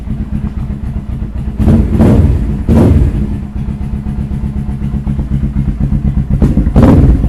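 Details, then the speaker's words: Suzuki GS500 Scrambler with newly fitted slip-on exhaust: rapid puffing tick on the lumpy twin idle, sharpening with each blip, from exhaust leaking past front header bolts not fully tightened; front exhaust leak, otherwise sounds pretty good. "uh there's a leak at the front these bolts are not fully tight so it's leak at the front but it sounds pretty good"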